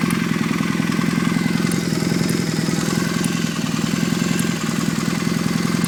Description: another one of the warmed up engine making strange chirping sounds, help me identify it